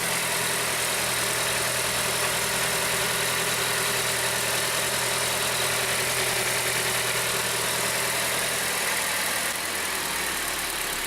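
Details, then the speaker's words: Petrol engine idling steady and even with no knocking after removing the torn air-conditioning compressor belt; the earlier knock was caused by the torn belt. "ребят снял ремень компрессора он действительно рваный скорее всего вся причиной за него сейчас зайдем и посмотрим ребят двигатель работает ровно"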